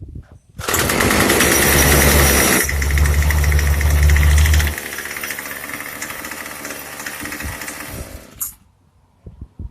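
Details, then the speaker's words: Craftsman 25cc two-stroke weed eater that wouldn't run: loud uneven buzz dropping to a ragged wavering idle before dying; sounds like it needs a carburetor tune, suspected not confirmed, and ran fine after tuning. "all right well from the sound of it it sounds like it just needs to get tuned so let's do that"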